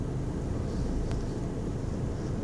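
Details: 2010 VW Golf 1.6 BlueMotion diesel, on starting: low diesel rumble at idle with a slightly uneven, wavering beat; rough idle, cause not identified.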